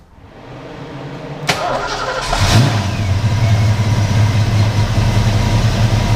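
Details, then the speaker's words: Non-MAF car after rotor change: catches and settles into lumpy, uneven idle with low irregular pulse like a misfire; running super rich, unplugged vacuum lines suspected, not confirmed. "it relies on vacuum for its table and it's just running super rich but then why would it seem like it's a misfire"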